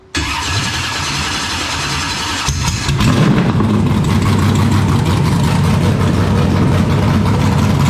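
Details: 427ci Dart LS Next 2 race truck V8 on engine run stand, ls3 heads, solid roller cam, billet crank and rods, twin turbos, first fire ice cold (~60°F), before dyno. Starter whirs a couple of seconds, then catches at once into loud, even lumpy idle; clean start.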